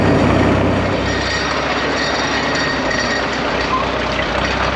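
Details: Caterpillar Twenty Two crawler, roughly 250 cubic inches, with a pipe extension and clamped muffler on the exhaust, at about half throttle and half choke: even, steady chuffing beat around four per second with no misses, knocks or rattles; runs smooth and healthy.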